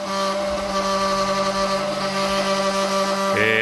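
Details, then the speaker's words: 1945 GPW Jeep original radiator after soldering a neck leak, under pressure test: the cap hums with a clear tone as it vents excess air, venting normally and holding pressure. "okay you can hear the radiator cap humming away there and it's blowing the excess air out of the vent"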